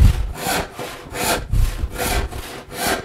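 Even push-pull strokes about every 0.8 seconds, clean rasp on each cut with a quiet return and no rattle.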